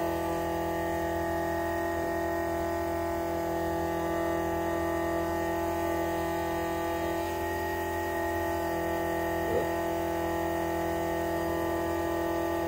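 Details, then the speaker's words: Constant loud steady-pitch electric whine from a rubber-isolated Summit fuel pump on a Nova, possibly the original restoration pump up to 12 years old; owner suspects it's just an old loud pump, Mallory 110 replacement planned. "it is isolated and it is just loud so i don't know if this is the original pump that they put in here when they did the restoration"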